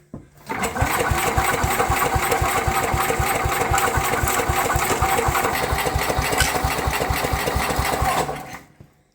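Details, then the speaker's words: Sears Suburban 12 lawn tractor, Tecumseh 12 hp, barn find with mouse-nest debris: starter turns it over at about four even chugs a second for eight seconds, speeding up slightly, no firing despite drawing fuel; spark suspected missing. "sounds like it was speeding up a little bit but you can see all that junk blowing out of there"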